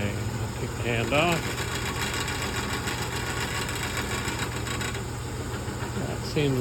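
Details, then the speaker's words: General 340 drill press running: steady motor hum with fine metallic buzzing rattle; tightening two bolts helped; rattle suspected from loose bottom belt guard. "Noises down a fair bit. I think it has to do with this top belt bottom belt cover."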